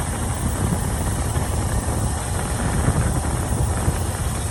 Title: Please help diagnose strange pulsating rattle noise!